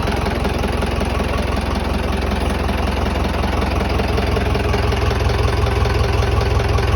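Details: Tata 709 non-turbo diesel, first start after overhaul: a deep, regular chug at about two to three beats a second, steady throughout, a healthy idle with no knocking.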